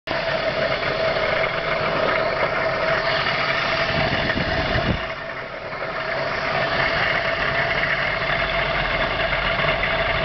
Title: weird engine noise